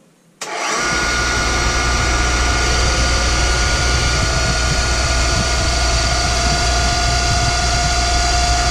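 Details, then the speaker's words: Boyar Schultz Challenger surface grinder, motor refitted and spun up: steady hum with a thin whine creeping in partway; motor sounds fine, spindle bearings suspected, not confirmed. "motor sounds good spindle bearings got happy unhappy Louis bro you noticed"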